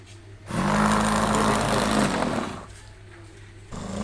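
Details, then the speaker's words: Repaired burnt DC air cooler BLINO motor, rotor refitted, run on a 12 V supply with speed control: spins up to a steady clean hum, drops to lower speed and returns smoothly with no rattle or scraping; runs normally after repair. "ये इधर से speed भी control कर रहे हैं। लोग देखें इसकी फुल स्पीड है। इसकी आवाज चेक करें।"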